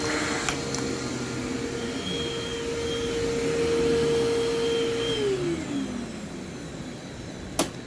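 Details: Vacuum running: steady mid-pitched squeal over the motor roar, then sliding down in pitch; brush belt slipping, though the motor sounds fine and runs quietly.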